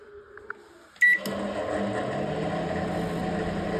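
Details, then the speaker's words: Samsung GW732KD microwave fan after tightening its loose coil-driven motor, which had made a crackling, jamming sound: a couple of beeps, a start clunk, then a smooth, steady hum with no crackling or rubbing. "तो मैंने इसको tight किया, मतलब सही ढंग से आवाज़ दे रही है, स्मूथ है।"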